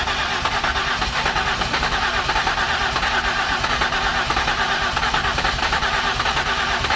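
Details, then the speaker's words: 2008 Ford Escape no-start with previous repairs, cleaned spark plugs and coil packs refitted, cranked with some throttle: ragged cranking with uneven attempts to catch that never settle; nearly firing. "okay hop out right quick let me see [Music] it wants like it wants to yeah"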